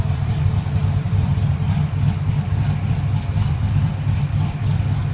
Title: Zr1 rough idle